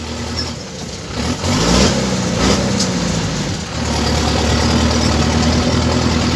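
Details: Avia A75 mini excavator truck diesel at idle with a cracked exhaust: loud idle with raw, uneven chuffing puffs over the engine note. Exhaust is leaking.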